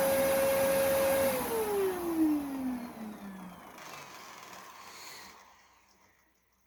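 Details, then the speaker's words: Dyson vacuum with a long wind-down, cyclone likely needing cleaning: steady motor whine sliding down in pitch, with a startling brush roll clutch noise; owner suspects the clutch is jammed by something or damaged and stalling. "that's a bit startling i haven't heard the the clutch noise in a while oh jesus"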